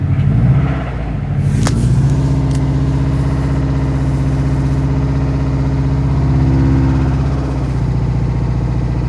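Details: 2012 Subaru WRX, EJ255 boxer engine running with a deep, uneven knocking under the low rumble; suspected rod knock, not confirmed.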